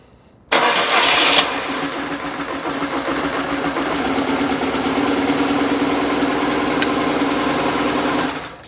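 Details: BMW R850R boxer after cam chain tensioner replacement: fires promptly with a brief rev, then settles into smooth, even idle with no clatter or rattle at start-up; sounds healthy.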